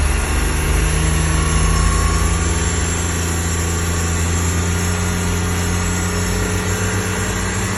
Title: 2025 XD1500 NSU whining noise